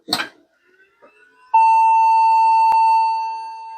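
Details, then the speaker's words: Vintage e-waste PC powered on with one memory stick installed after hard drive clicking: power switch click then a single steady mid-pitched POST error beep, complaining right away. "it's complaining right away this time no problem"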